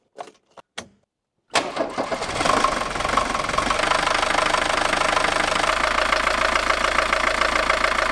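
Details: 1960s Mercedes 190D (W110) diesel after cooling-system repair, started to refill coolant: a few clicks, cranks, catches and settles into a steady diesel clatter at idle, running evenly; normal start and idle.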